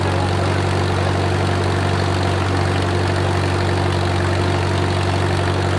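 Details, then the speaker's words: Wartime H tractor, last run around the 80s or 90s, at full operating temperature: a steady, even low thrum with a smooth, regular beat, no knocks or misses and great oil pressure; a normal idle. "I don't hear any knocking to you we are at full operating temperature and we still got great oil pressure"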